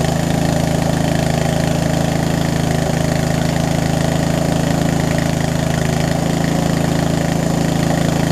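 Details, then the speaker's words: Murray widebody riding mower, run after sitting a few years, started on choke: small single thumping at about four beats a second, uneven and lumpy; owner suspects too little fuel through the line and a worn carb, possibly a leaking needle and seat. "I think the fuel line is it's a mix between it's too little and the carb is probably a little too messed up at this point, so to speak, to run properly."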